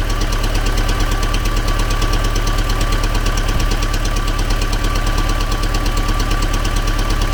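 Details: T-40AM tractor diesel, around -14 °C after sitting a month, started with hand throttle: steady idle with hard regular knock about three per second over diesel clatter; engine knock, source still unknown.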